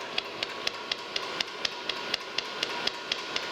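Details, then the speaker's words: Restored metal planer running on newly installed laced flat belts: crisp, even clicks about twice a second as the belt lacing passes over the metal pulley at steady speed; normal belt lacing click. "you hear the click click click click click that's the uh the the clipping material that we we laced the belt lacing hitting the pulleys hitting that metal pulley"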